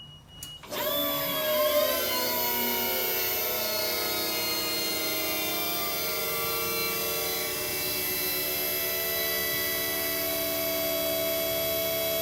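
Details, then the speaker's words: Electric go-kart QS motor during Fardriver controller autolearn: whine climbs quickly, then settles to a steady even hum with no grinding; normal spin-up, though afterwards the motor kept creeping slowly. "now it's beeping saying we're doing Auto learn see we do we just hold this down"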